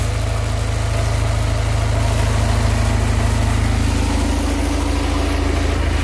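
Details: Houseboat Volvo Penta 130 after tune-up, reverted to the first distributor cap: steady even low rumble at idle, about 200 beats per minute, no misses or knocks; idles smoothly.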